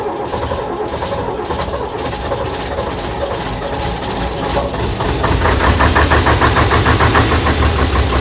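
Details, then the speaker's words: AEC Matador 7.7 litre diesel on a cold day, after overhauled injection pump and injectors refitted: even cranking about three beats a second, firmer toward end, nearly fires but never catches; air suspected. "Close, but no cigar. Right, we got to remember that the entire fuel system's been apart. So, I'll blow out what air I can, but it's still going to take a bit more work."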